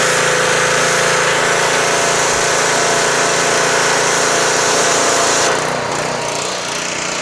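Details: Pressure washer stored since last summer, started with the choke on and a water hose attached. Its small single-cylinder engine keeps an even, busy rattle, then eases slightly lower, running without stumbling.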